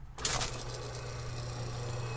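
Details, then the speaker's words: 1 HP Baldor electric motor after refurbishment with new bearings: brief start click, then a smooth, steady low hum with no knocking, grinding or rubbing, no overheating; shaft stops quickly thanks to greased bearings. "spinning nicely how's this to nice and cool no heating overheating or anything like that looks good"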